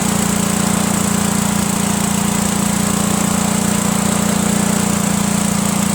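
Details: Cub Cadet lawn tractor, Kohler Command horizontal engine, normally runs rough and barely stays running; gravity-fed straight to the carburetor bypassing the fuel pump, it runs steady and smooth, pointing to a bad mechanical fuel pump with a worn actuator tip.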